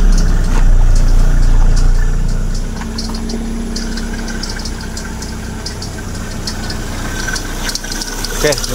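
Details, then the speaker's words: Proton Persona Campro at idle after plug and connector repair: light regular chirping about three times a second over an even idle; suspected belt tensioner bearing, fan bearing also stiffening. "Ada bunyi cekritik sikit. Biasa tu bunyi tensioner. Bearing tensioner."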